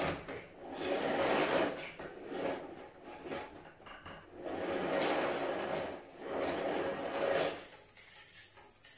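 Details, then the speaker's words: E-bike disc brake after new pads fitted and caliper centred (6 Nm), wheel spun slowly: scraping swish swelling and fading every two seconds; bent rotor wobbles between pads, pads not yet bedded in. "So, ihr hört, die schleift jetzt noch ein bisschen. Ihr müsst die Bremsbeläge auch einfahren, auf jeden Fall."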